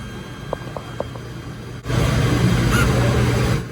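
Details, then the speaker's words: Mercedes Sprinter 3.0 CRD diesel (OM642), key on, swirl motor driven by diagnostic active test from 20% to 100%: light clicks then a steady motor whir for nearly two seconds; swirl actuator working normally. "Everything's actuating the way it's supposed to be. It's pretty cool. So, now we know our motor is good."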